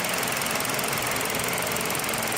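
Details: 2017 Hyundai Elantra, code P0301 cylinder 1 misfire, coils swapped from cylinder 1 to cylinder 2: loud, rough idle with an uneven stumbling beat; misfire.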